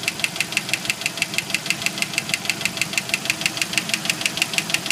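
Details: 1991 Jeep Wrangler YJ 2.5L engine knocking at idle, sharp even tick about three per second that stops around five seconds in and gradually returns; owner suspects broken piston skirt and failed lifters on cylinders 2 and 4, first thought loose rocker arm.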